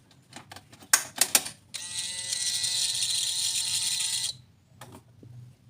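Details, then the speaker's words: Yamaha NMAX that won't start, pump silent at key-on; with a pump wired in as a test, a high, even whine runs about two and a half seconds then stops, normal priming, pointing to a faulty in-tank pump. "hidup ya teman-teman P pumnya ini hidup Saya matikan lagi kuncinya Saya ulangi saya hidupkan lagi Hm Dia hidup pulpam ini"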